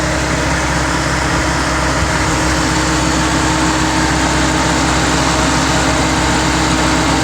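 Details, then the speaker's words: Land Rover at idle with both radiator fans running on high after the AC is toggled, a loud steady rushing roar; a repaired wire fixed the non-working fans without a new module. "turn it on again and there was the fans on high"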